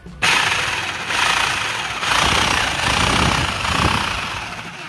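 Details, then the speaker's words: Nakasaki 960 W 220 V rotary hammer drill with a very loud, strange noise: harsh, uneven hammering clatter with grinding and no steady rhythm; the bit slips and stops turning when breaking or drilling. Loud abnormal noise from the hammer mechanism. "Tá com um barulho muito forte e a broca tá ficando parada. Não tá girando na hora de quebrar, de furar."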